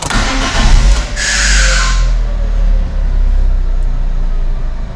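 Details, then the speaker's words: 2009 Ford Ka, a Copart category N salvage car, being inspected on delivery. About a second of harsh, uneven cranking comes before the engine catches and settles to a steady rumble. The owner believes the starter motor is worn and needs replacing; this is not confirmed. "the only other thing i've noticed on this is when you start it it sounds like the starter motor needs replacing so if i start that now yeah that's definitely going to need a new starter motor"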